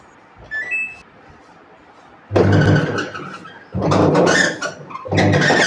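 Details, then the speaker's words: Samsung top-load automatic washing machine running on the wash cycle with a worn gearbox: loud rough churning/grinding bursts each time the pulsator swings, quiet gaps between; noisy even with a full load, and the pulsator also turns one way during spin. "तो अभी हमारी machine जैसे wash पर run हो रही है तो wash पर रन हो रही है तो जैसे पलसेटर इसका जब घूम रहा है काफी ज्यादा नॉज इसमें मेक हो रहा है"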